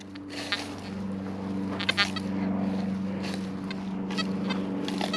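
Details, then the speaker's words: XP Deus metal detector on the standard Deus Fast program 3, on a ridge of a Roman site: a steady hum broken by short, irregular chirps with no real target, false signals of unconfirmed cause. "Can you hear these little false signals? These aren't actually targets, these are false signals."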